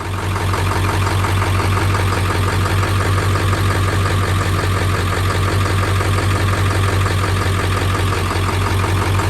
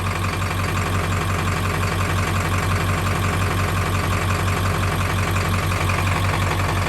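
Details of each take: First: 7.3 Powerstroke diesel idling after changing to Shell Rotella T6 synthetic oil, overdue first full change: steady low idle, even clatter about three beats a second; the knock heard before is much less prominent and a few decibels quieter. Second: 7.3 Powerstroke diesel at idle before an oil change, decibel meter a couple feet from the front reading about 80 dB: steady clatter with a dull, fairly regular knock underneath; knock cause unconfirmed, later less prominent on Rotella T6.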